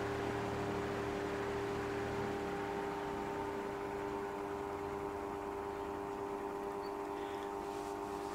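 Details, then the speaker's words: Fan on a cheap triac speed controller turned down from full power: steady, loud electrical buzz over the slower motor, blamed on the triac sending square waves into the supply; speed still varies. "you can hear that buzzing which is clearly unacceptable you can't operate the fan under such conditions but it does actually vary the speed"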